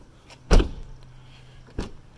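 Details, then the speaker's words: Second-generation DSM (GSX) door after window rattle fix: one solid low thud as the door shuts, no glass rattle after, then light clicks; window no longer loose. "nice and solid so that's how you fix the door rattle on you to GDS M"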